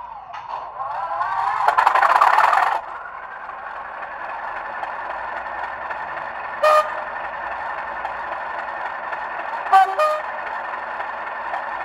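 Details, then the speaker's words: Bachmann Class 37 model locomotive with factory sound and two speakers, as received: thin, tinny diesel drone buzzing and distorting when loud, rattling from loose parts; a loose circuit bar and loose fan found. "and two speakers and the problem is it rattles quite a lot at the moment"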